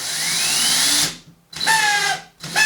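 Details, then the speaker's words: DeWalt drill damaged by drywall dust, run in reverse: the motor whines up, then cuts out and restarts, dragging down in pitch as something binds inside; it spins up in the other direction. "But if we turn it on, you see that it kind of has a problem with the motor. If we reverse it, and it seems something to be stucking it in, because if I leave it like this, then it spins up, but"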